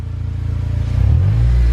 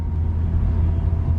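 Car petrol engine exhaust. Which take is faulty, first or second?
first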